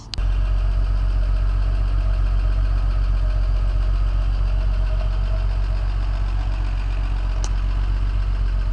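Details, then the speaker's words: Classic Mercedes running for the first time in over five years after secondhand pump fitted, initially flooded from oil in cylinders: steady, even idle, smooth low rumble, no knocks or misses; normal idle. "and she's running boys under her own power classic mercedes which she's not been running for more than five years"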